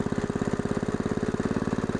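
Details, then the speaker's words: Log splitter's fairly new small engine after a second carburetor cleaning with carb cleaner, restarted after being shut off: steady, even single-cylinder putt-putt idle, about thirteen beats a second, no misses or knocks; running healthy. "that's what we want right there well I ain't going to kid you I'm a happy camper"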